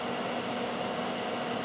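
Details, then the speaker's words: Data East DECO Cassette System arcade power supply at power-up: smooth, even airy whoosh with no ticking, rattle or pitch wobble; it took a while to power up, fan runs normally. "all right let me power this thing up well the fans working it took a while to power up"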